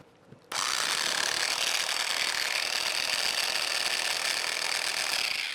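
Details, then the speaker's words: Cheap $40 3-inch cordless polisher, running at speed in a polisher comparison: high-pitched whine with a gritty, scratchy rasp like gravel in the gears, and terrible vibration. Gearbox sounds like it's falling apart. "mean it is just it sounds like the gears like there's gravel in it or something i mean it is just it's bad the vibration is absolutely terrible"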